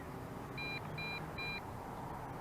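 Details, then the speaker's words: Potensic D80 drone (Bugs 2SE clone) on maiden flight: three short high double-tone beeps, about two a second, over background hiss; low-battery warning, time to land; lights turn red. "that means that the battery is low and we need to bring her on down"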